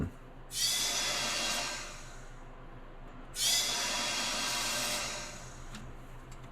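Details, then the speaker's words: 1979 Chevy small block (likely 350), cylinder pressurised with shop air at bottom dead center during valve stem seal job; long bursts of air hissing out the exhaust, a severely leaking exhaust valve, possibly carbon on the seat. "sounds like the air is going right off the exhaust so that's telling me our exhaust valve has a severe leak in it so that's not good"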